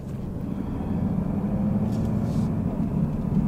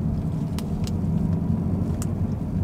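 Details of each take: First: 2018-2019 Mustang GT (Bullitt) Coyote V8, in cabin, first gear slowly at 1200-2000 rpm light load: faint tick over engine drone, owner thinks lifter tick; before adding Ceratec. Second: 2018–2019 Mustang GT (Bullitt) Coyote V8 after Ceratec treatment for a ticking noise between 1k–3k rpm in lower gears. Pulling away in first gear up a parking garage: steady low rumble, only faint injector clicks, no ticking. Tick appears fixed.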